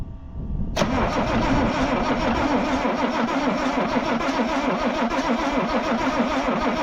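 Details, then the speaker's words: International D282 diesel in a Galion crane with a rebuilt Roosa Master DBG injection pump. It fires right up after a short crank, settling into a steady even idle. A normal start. "So I put it back on, heated the glow plugs for 2 minutes, and it fired right up."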